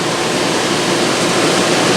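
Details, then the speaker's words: Vintage Westinghouse 5,000 BTU window air conditioner, case installed, before thermostat replacement, fan on high: steady even rush of air with no rattles, ticks or wobble; blower running smoothly. "And that's put out a good amount of air. That's 1.6 amps."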